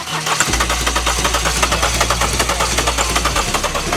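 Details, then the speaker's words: 2016 Mercedes-Benz CLS 250d, OM651 diesel: fast, even cranking pulses that nearly fire but never catch; engine won't start. "이렇게 걸릴듯 걸릴듯 하면서 시동이 안 걸립니다"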